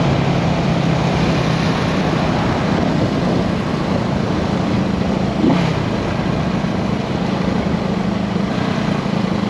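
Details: 1974 Honda CB360 twin on test ride after fixing carb issue (number two carburetor was the culprit): holds a steady note under way with only a brief dip and recovery, no stumbling or hesitation over road noise; normal running.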